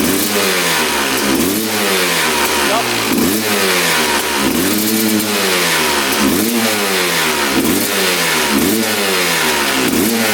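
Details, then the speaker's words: 2001 Honda CR250 two-stroke, power valve check: crisp blips every second or so, climbing cleanly and dropping back to idle without stumbling; power valves confirmed opening fully and returning. "So the power valves are opening all the way. You can see the line going horizontal with the H as we revved out the engine. So that is in fact working properly."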